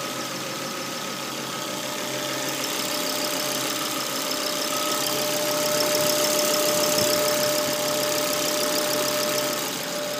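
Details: Volvo V70 at cold idle: thin steady whine of constant pitch that stops when the oil dipstick is pulled and is absent when warm; persists after replacing the oil trap and hose to the oil cap; runs well otherwise.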